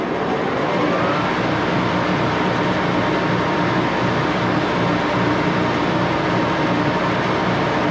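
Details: 14x30" Axelson heavy-duty geared-head lathe run through its speeds, headstock filled with AW68 hydraulic oil (about SAE 20); steady, dense roar of meshing gears with a faint whine on top, loud but even, normal.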